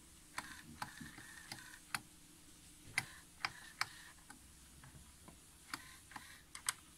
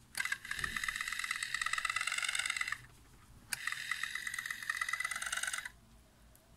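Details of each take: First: Pioneer A-702R amplifier, Alps motorized input selector with front cover off so the gears are visible: small motor whirs in short runs with crisp, evenly spaced detent clicks to end of range; normal selector operation. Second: Pioneer A-702R amplifier on power-up: two bursts of high buzzing, grinding whir about two and a half seconds each from the Alps motorized input selector; worn selector gears, later replaced.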